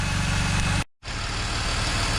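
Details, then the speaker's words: BMW E46 325ci idling after the misfire was fixed. Moisture from rain had entered the coil packs; they were dried and given dielectric grease. After a couple of minutes running, the idle is an even steady pulse with no misfire. "all right so it's been running for a couple minutes and uh no misfire"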